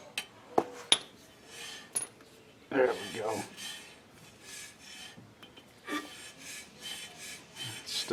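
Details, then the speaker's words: 2013 Chevy Cruze rear drum brake after shoe replacement and adjuster set a few clicks: soft intermittent scraping whooshes as the drum is turned freely by hand; shoes just barely touching, the desired adjustment. "free I'm not putting any effort into turning this me here it just barely barely barely touch it I like that"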